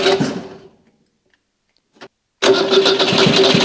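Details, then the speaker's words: Stored project car that won't start on its own fuel supply, run with fuel fed in by hand: it runs briefly, dies, then fires again and holds a fast, even run. The fuel supply is suspected. "so it doesn't really seem to want to start on its own fuel supply so let's just give it a little fuel enter this and see if it just runs for a bit"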